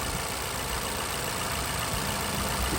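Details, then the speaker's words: Vauxhall/Opel Insignia 1.6 SIDI A16XHT after replacing the failed PCV valve that caused a squeal and air sucking at the camshaft seal: steady, smooth idle after about half an hour running, no squeal or sucking. "so yeah all the car running far around half an hour now everything seems fine yeah still um still running smooth no sucking"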